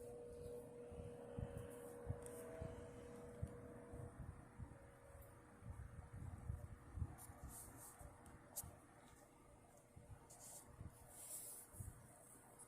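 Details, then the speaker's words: 1960s Wizard reversible box fan with 2-speed motor, running on low speed in a window: quiet steady hum with a soft even whir, no scraping or knocking; running smoothly, low speed slower than a non-reversible model. "The low speed is low on this. Low is low on this. I mean, it's not a bad low speed, but it's definitely the kind of low speed that you would want uh, on nights like this."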